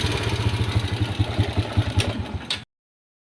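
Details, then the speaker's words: Honda Wave S single-cylinder with worn engine and white smoke: loose clatter at idle, two or three taps a second over a lumpy beat, from the cylinder head; cam chain slack, scored cylinder from oil starvation. "อาการของมันคือจะมีเสียงดังแก๊กๆพร้อมนะทุกคนเดี๋ยวมาเบิ่งกันมาอาการบิดบ่สุดทุคนเห็นบ่มีเสียงดัง"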